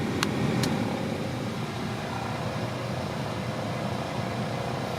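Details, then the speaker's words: 1999 Toyota Corolla heater/AC blower on low speed, getting louder after a few minutes of heater use, inaudible on high: steady low rumbling whir with faint rough vibration and a couple of clicks; noisy blower motor. "And complaint of this car, the blower motor is noisy. I don't know if you could hear it. It's wiggling."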